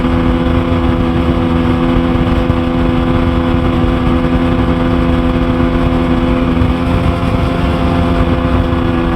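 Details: Sea-Doo GTX Di two-stroke watercraft after bottom-end teardown for suspected front crankshaft bearing failure (maintenance-light issue; failing fuel pump gives same symptom) runs steady and strong on the water under load, with no knocking, misfire or stumble.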